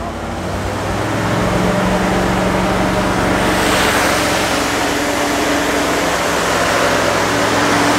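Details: 1969 Fargo 500 dump truck, long-stored V8, just started on poured gas: loud, slightly uneven loping idle with exhaust rush; rough idle, smoking pretty badly, slight exhaust manifold oil leak, cause unconfirmed.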